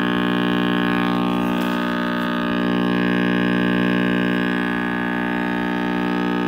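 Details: RCA Victor X551 vintage tube radio at first power-up after restoration and power cord rewiring: constant deep buzzing mains hum with rich overtones, no program; owner suspects last-soldered filter cap with unconfirmed reading.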